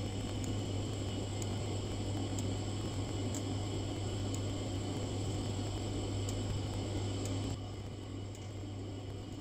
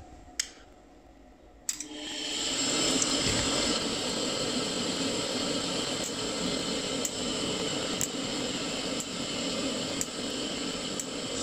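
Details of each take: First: Glow-worm Ultimate boiler with no pilot: steady low fan hum, faint high whine and soft regular ticking but no ignition catch; fan runs, pilot never lights. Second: Glowworm Ultimate boiler with pilot not lighting, after pilot adjustment and cleaning at gas valve: click, then burner catches with soft whoosh and settles into steady even roar; lights cleanly first time.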